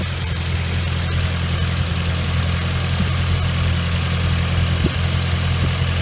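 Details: Nissan RS13 with CA18DET engine idling after a cold start: faint irregular ticking over the low rumble; owner unsure whether hydraulic lifters or something else, and the noise disappears once the engine is fully warm.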